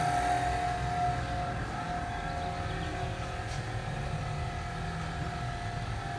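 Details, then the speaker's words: 2016 BMW X5 F15 with intermittent rear air suspension sag, pump activated by scan tool: steady even electric motor hum of constant pitch under the car; air suspension compressor running normally. "activate let's see what happens you can hear the pump motor kicking on so the pump is in here i can hear"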